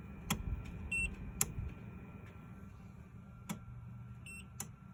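{'k': 'Sharp relay-like clicks about once a second, with short high beeps between them over a quiet hum: the unit keeps cycling and alarming.'}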